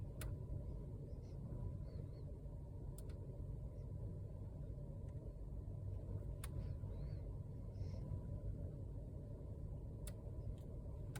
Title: Vw Passat B8 2017 Steering wheel Clicking Noise